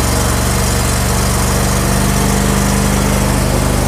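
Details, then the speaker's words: John Deere L111 automatic riding mower after carburetor cleaning, owner suspects fuel pump going out as fuel filter not filling completely: steady small single-cylinder putter at constant speed, even beat without surging or stalling; runs well, normal running. "It's super easy to do, but it does run good, and you could cut grass with it right now."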